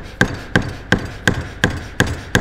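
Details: BMW E38 740i air suspension strut: seven sharp metallic clacks at about three a second, as the rattling metal ring knocks against the strut stop, shown for comparison; the fix is a thicker rubber piece fitted in between.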